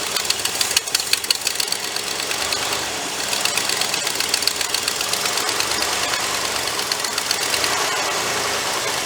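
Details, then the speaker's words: 390 V8 in a project car, carburetor with a hole at its back, electric choke suspected faulty, heavy blow-by seen: uneven idle with sharp hiss over the exhaust; vacuum leak at the carburetor. "now while she's running idle probably not massive vacuum leak on the back of that on the back back here somewhere i got to dive into that"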